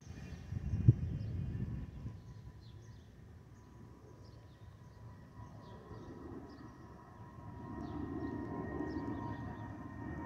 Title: Delta Airlines Airbus A320-212 N360NW DL2342 BUF-DTW (FOPP whistling sound)